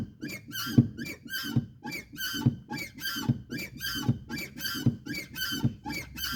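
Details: Volkswagen Polo TSI 1.2, sharp rubbery squeak repeating each time the clutch pedal is depressed, quiet cabin; persists after lubricating all external moving parts at the pedal and in the engine bay; cause still undetermined.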